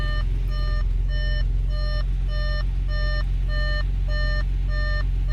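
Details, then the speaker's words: Audi S4 3.0T supercharged idling after an oil change. An even chime repeats about twice a second over a quiet idle rumble: the airbag fault warning, triggered because the rear seats are removed for track days. "yeah you guys might ask in the comments below about that airbag light the reason for that our Berg light is because I have my back seats removed going from home to a track day"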